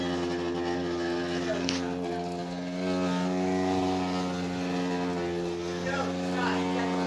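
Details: Electrolux washer: constant motor hum with steady whine that never changes pitch, still running with outlet and whole-house main power off, cause unknown; starting another cycle was the only way to stop it.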